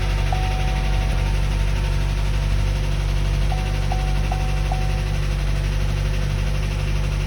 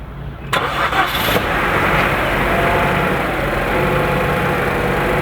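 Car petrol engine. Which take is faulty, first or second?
first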